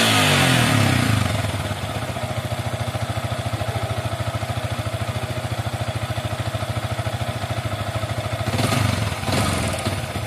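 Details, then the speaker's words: Yamaha Vixion motorcycle that stalls, is hard to start and sputters, no MIL blink: single-cylinder idle about 3.5 beats per second, slightly uneven, brief rev near end; mechanic suspects weak fuel pump spray, gauge reads about 34 pressure. "saya curiga dengan semburan tiful pump nya kurang kencang atau gimana kita akan coba cek menggunakan alat semacam ini ya"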